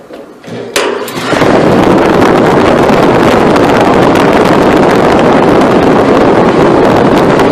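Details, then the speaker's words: Restaurant hood exhaust blower after loose, nearly-off belt replaced with correct-size tight new belt: switch-on clunk, then quick spin-up to loud steady air rush with no squeal or flutter; suction much higher, issue resolved. "way more power in the blower. The suction is way higher, and that resolved our issue."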